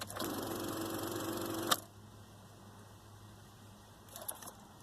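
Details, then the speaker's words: Car with no-start complaint, key on, foot on brake: fast buzzing starter solenoid chatter that cuts off, then faint clicks, dash lights dimming; indicates a dead battery, not the starter. "That is an indication of a bad battery. How can we tell this? So, first off, we're hearing a lot of clicking."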